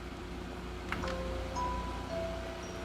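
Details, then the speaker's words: Minecraft special edition Xbox One S, repaired for no display: short run of clear bell-like startup chime notes over a faint hum as it powers up, normal. "all right let's switch over and let's get that beautiful Minecraft sound"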